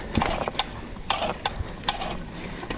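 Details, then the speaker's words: Hyper Carbon X 29er bicycle (Walmart) while riding: irregular dry clicks and short ratcheting bursts from the drivetrain, cheap freehub and floppy chain noted; exact source unknown. "don't know what that sound is but we're going to keep rotting it"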